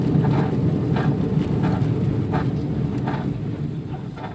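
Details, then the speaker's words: Nissan Sentra, possibly a 2005, in for a wheel bearing while driving: a heavy, rough growl pulses with wheel speed over road and wind noise. It may be more than one bad bearing; a badly worn wheel bearing growl. "They're here for a wheel bearing. This is probably the worst wheel bearing noise I've ever heard, if it is in fact a wheel bearing."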